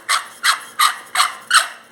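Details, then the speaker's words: Ford Fiesta noisy when accelerating; the removed water pump, spun by hand, gives about three dry, raspy squeaks a second, the same noise as on the engine. The belt and steering were ruled out, and replacing the pump fixed it. "ó girando vocês podem ver que tá fazendo o mesmo barulho que fazia lá do motor ó girando rápido né"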